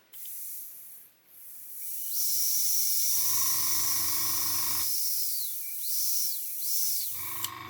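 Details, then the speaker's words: Gaahleri Mobius TG 0.5 trigger-grip airbrush, brand new: air hiss swells, fades and returns as the knob is turned; no air flow because the air control was wound fully in, fixed by winding it out. "changing the flow of air that's what that was I had that W right in so we got no air"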